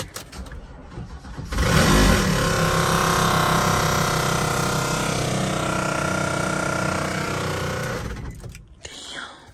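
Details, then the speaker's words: Chevrolet Camaro SS bought from a Copart auction: the engine cranks and catches into a lumpy, uneven run with a loping pulse, then shuts off. It sounds very rough; the owner guesses something may have been messed up, cause unconfirmed. "That sound horrible, y'all. One of the worst sounding engines ever, isn't it?"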